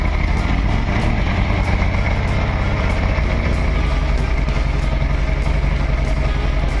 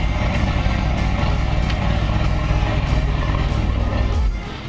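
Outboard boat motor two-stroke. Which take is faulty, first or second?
first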